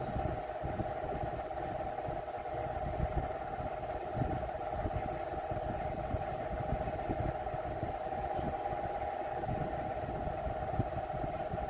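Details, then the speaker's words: Vornado Silver Swan Alchemy desk fan, found curbside, on low speed: steady, fairly loud mid-pitched hum with no knocking; motor sounds like an antique fan with very worn bearings while barely moving air, cause unconfirmed. "It really sounds like an antique fan with very worn bearings, and you're gonna see how. This is just horrible for a modern fan replicating antique."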